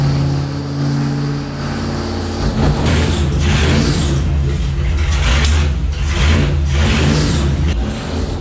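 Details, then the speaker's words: Loud, rough, heavy roar with uneven surges about once a second from a Gen 1 Hemi V8 on a dynamometer, with heavy vibration; the more the starter is adjusted the more the engine fights it, causing vibrations not present earlier. "besides the start of going a noisy coming a lot of noise out of it a lot of vibration there's a lot of vibration"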